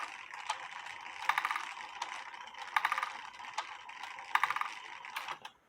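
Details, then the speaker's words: Eli Terry groaner clock, heard with the beat amplifier off; quiet, soft wooden ticks at a slow, steady beat in a near-silent room, running normally. "I'll take the beat amplifier off and let you listen to it with the beat amplifier off. It doesn't make that much noise with the beat amplifier off."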